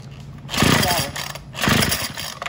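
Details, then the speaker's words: Craftsman WS210 four-cycle weed eater with new carburetor fitted with the old bulb and diaphragm parts: engine surges and sags about once a second, won't idle or reach full throttle; running rough, cause unknown. "and we've got the weed eater running except it won't throttle all the way up so I'm not sure what's going on with that thank you uh so now it won't idle and it won't go full"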